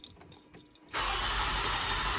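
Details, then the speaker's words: 2007 Toyota Highlander 3.3 L, crank-no-start after earlier hard starts and sputtering. The starter cranks evenly but it never fires; the pump gets 12.3 V with a good ground yet fuel pressure reads 0 psi, so the fuel pump has failed. "so we know both circuits are good all the way to the pump"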